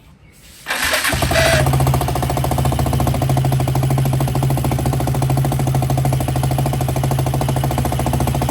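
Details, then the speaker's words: DIY go-kart engine with newly fitted air filter, on the old exhaust before replacement: fires at once, settles into a fast, steady putter about three beats a second, raspy but even; idling fine. "ये हमारा exhaust है जो पिछला वाला है। ये थी आवाज़ हमारे पिछले एग्जॉस्ट की।"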